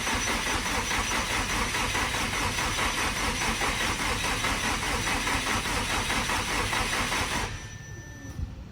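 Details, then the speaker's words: Car being started for the first time after sitting over a year, wheels off the ground: starter turns the engine over evenly for seven seconds without firing; no fuel reaching the engine, owner suspects feed and return lines swapped on the hanger. "over that's here i don't know if no nothing no fuel to the motor so that means i have the other lines backwards damn it"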